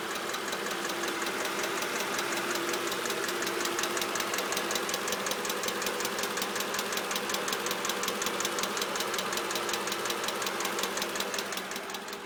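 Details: Mercedes CLK 500 at steady idle: sharp, even clicking about 160 per minute from the top end, origin unknown.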